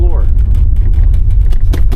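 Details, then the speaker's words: 2026 Honda HR-V EX-L at about 4,000 miles, driving on a gravel/dirt road: a loud rattle with sharp plastic bursts over low road rumble, coming from the loose console side trim panel. "It's just going down the road. There's a loud rattle, constant. It's coming from this piece of plastic right here."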